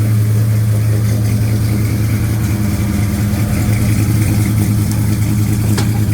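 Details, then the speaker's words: 1956 Chevy Bel Air, Chevy 307 V8 with a hydraulic cam and a new Holley 4150 double pumper, first start with 70 lb oil pressure: steady idle with loud, fast valve-train tapping about three per second; cause unknown, valve lash to be checked. "70 lb depressive, but that valve train sounds loud. Loud, loud, loud, loud. That's unusual. I don't know why the val train's so loud."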